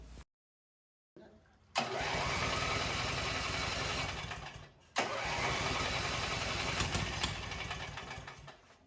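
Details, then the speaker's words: Cub Cadet 129 with a newly installed re-power engine, first start before the exhaust and wiring were finished: cranks briefly, catches cleanly and settles into a steady, even run; after a short dip it picks up smoothly and sounds healthy. "Music to my ears. So she runs good."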